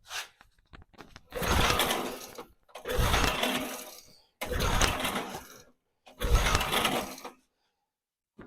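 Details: Barn-find Snapper chipper shredder, 8hp Briggs & Stratton engine, with a suspected carburetor fuel problem, a new gas cap fitted and the choke closed: four rope pulls whirr and die, never firing. It later ran on carb cleaner.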